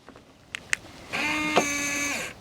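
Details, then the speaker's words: RV door locks operated with the key fob: a couple of soft clicks then an even motor whir of about a second, no beeps; normal lock actuation. "use the key fob no beeps that's lock"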